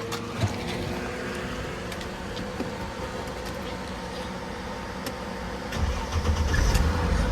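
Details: 2003 Mercedes E320 with a repeated overnight battery drain, just after the battery was charged and reinstalled: steady cranking at about three and a half turns a second, then the engine catches and builds to a firm, even run. Good start.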